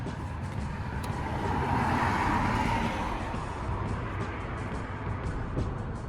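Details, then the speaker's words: Car cranking test with a TOPDON battery tester (Giulietta 2.0 JTDM, Discovery 4 SDV6 or Clio 1.2 TCe): brief steady cranking, then the engine catches and runs smoothly. Tester reports normal cranking, dipping to 10.37 V. "rpm detected it does a test automatically once it's picked up that the car started okay and the results of that test although it says cranking is normal it dropped down to 10.37 which is actually okay"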